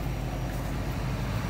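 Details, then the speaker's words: 1984 Chevy K5 Blazer sat 10+ years, revived, temp gauge around 190: low even idle with no stumbles, ticks or misses; idling pretty smooth after the earlier crackle. "idling pretty smooth"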